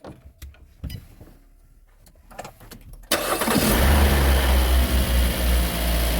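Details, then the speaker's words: Kia Forte Hybrid in cold weather with discharged battery, jump-started with a jump starter pack; short crank catches immediately and settles to steady even idle: healthy start. "시동이 잘 걸립니다 이제 출근하면 되어요"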